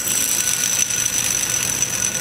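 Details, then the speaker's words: Idler pulley removed from a 2001 Dodge Dakota 3.9 L V6, spun by hand: steady, gritty high-pitched whir of a worn bearing, replaced with a new idler. "and here's how a bad bearing sounds like"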